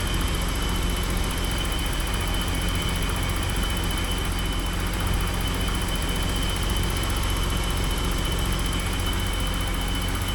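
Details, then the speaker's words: 1985 BMW 635 CSI with intermittent no-start/running problem, first start after ground wire work: smooth, even idle in neutral, steady low rumble, no misses or knocks; sounds pretty good, ground wires seem to have helped. "And I'll check the oil in it. Sounds pretty good. I think all those ground wire things helped it out everywhere."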